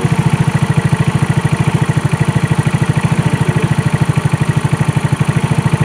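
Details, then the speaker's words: 2018 Trailmaster 150 XRX dune buggy, previously not idling, now running after only a replacement carburetor and new battery. Even, steady putt-putt idle with no misses or surging while warming up, a normal idle. "Idle before, now it's idling. That's a big plus. We'll let it warm up just a minute."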